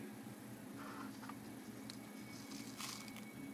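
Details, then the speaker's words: Compaq laptop hard drive beaten and deformed by an angry owner: shaking it gives quiet, loose, gritty rattling in bursts. The platter is completely shattered and the fragments are loose inside. "what was that sound that's an interesting sound sounds like a way as a matter of fact I maracas it's a hard drive maracas"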